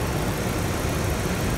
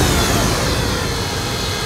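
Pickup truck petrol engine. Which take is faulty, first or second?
second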